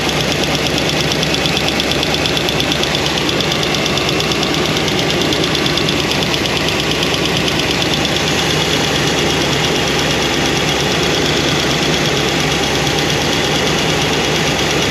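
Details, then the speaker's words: New Comp Cams hydraulic roller cam and lifters after break-in, idling: fast light ticking steady with engine speed; number 7 exhaust lifter noisy with little oil flow, won't adjust out, solid roller lifters planned. "It's a comp cam. Comp hydraulic roller. And they're making noise. They won't adjust out."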